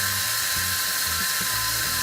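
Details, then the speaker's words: Cheap LED faucet light's built-in water turbine generator spinning in running hot tap water, giving a thin steady whine over the water rush; a little whining noise noted as weird; turbine whine. "and makes a little little whining noise you hear that kind of weird"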